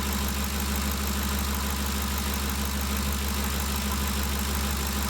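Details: 2013 Ford Expedition after valvetrain repair for loud ticking (suspected cam phaser or timing chain): smooth, even idle with steady low hum and no valvetrain ticking; noise gone, engine healthy.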